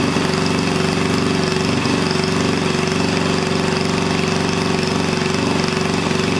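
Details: Onan small engine for a log splitter, run after the governor linkage was bent into place: a smooth, even drone at a steady high speed of about 3,400 rpm with no misses or knocks. It is running properly, and the stop switch works.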